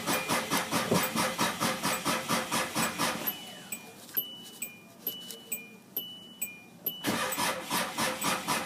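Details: Hyundai Starex with a bad battery: slow, laboured cranking at about two turns a second that stalls into dash chimes, then drags again; battery reads 12V at rest, 11V with ignition on, and drops to 8V while cranking, so it needs replacing.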